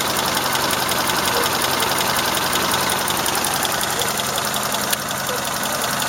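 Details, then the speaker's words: Engine warmed to operating temperature at idle: steady rapid tapping, about three to four per second, over rough shaky running with vibration shaking the sides; owner unsure whether a valve is tapping or shafts are rattling. "То же самое, только двигатель прогрелся до рабочих оборотов. Вот вибрация аж по бокам трясется."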